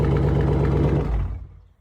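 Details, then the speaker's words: Exhaust startup after removing the springs from the exhaust valves and wiring them in place to cure a bad rattle: deep, even rumble for about a second, then cuts off, with no clear metallic rattle. "So, I took the spring out of the valves, wired it up. Hopefully, that gets rid of the rattle. Sounds better on the startup, though."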